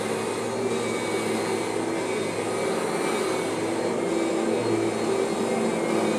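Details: Kirby vacuum: a steady motor roar with only a faint, thin residual transmission whine. Most of the original whine is gone and the transmission sounds near normal.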